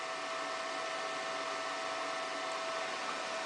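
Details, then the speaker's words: Romeca dual-drive conveyor demo, Model 220 motorized pulley at head driven by flux vector VFD in single-drive mode: constant hissing roar with fixed mid-pitched whine as brake is applied and the belt barely moves while the drive pulley slips. "When the brake is applied, notice that the belt barely moves while the pulley is slipping."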